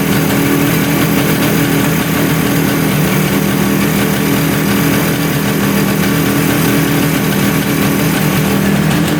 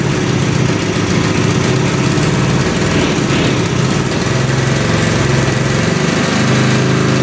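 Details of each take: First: 1971 Suzuki T500 500cc two-stroke motorcycle, sat 22 years: steady rattly idle holding even with no hiss or surge after a new gasket was made and fitted at the intake; manifold air leak seems sealed, normal idle. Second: 1971 Suzuki T500 500cc two-stroke, rebuilt and then unused for about 22 years: it fires and runs rough, stumbling at a lumpy idle. The left carburetor float is suspected stuck, pouring gas down the cylinder; the right carburetor seems fine.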